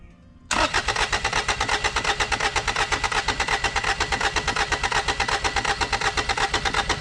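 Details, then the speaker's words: Kubota L722 0.8-litre 3-cylinder diesel: steady starter cranking at about three compression beats a second with no firing; injection pump sticking and not moving freely, so no fuel is delivered. Cranks but no start. "It wasn't cranking. Actually, well, I mean, it was cranking, but no fuel was getting in here, coming throughout."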